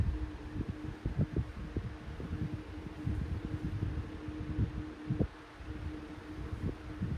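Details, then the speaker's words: Vintage 14-inch Lakewood high velocity fan from about 1999-2000; motor hum with irregular soft knocks and thumps from worn thrust washers letting the shaft float. "had not been for the stupid uh Rush washers acting crazy making all that weird noise this F would have been super quiet on low"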